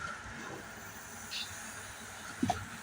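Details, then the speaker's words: 1970s 20 kW propane generator that fires then dies, governor solenoid on, fuel pipe freezing: steady soft hiss with a brief knock near the end from gas escaping a holed pipe; propane leak, pipe to be replaced. "Oh yeah, that's a leak. Okay, so turn the valve, solenoid valve off, and we're gonna have to replace that pipe."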